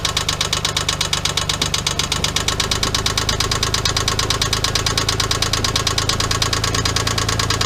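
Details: 1997 Geo Metro 1.0L at idle: sharp regular knock about three times a second, hammering every turn; a spun rod bearing after an oil leak.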